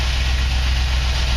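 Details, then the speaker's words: 1949 Chevy truck with an LT1 swap, running after a faulty ECM was replaced: low, even engine rumble with a steady beat and no ticks or knocks. Runs really well; normal idle. "you can here this thing runs really well"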